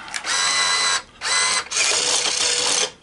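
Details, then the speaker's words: Coinco BA30B bill validator after belt change: two short high motor whirs, then a longer steady run as the dollar bill is pulled through; accepts cleanly, normal bill acceptance. "it takes it and it sounds good"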